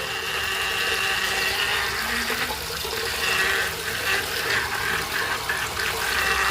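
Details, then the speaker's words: Noisy faucet on a 2000s Celite sink: steady rushing water with a thin high whistle on top as the tap runs; cause unknown. "fazendo tá muito barulho."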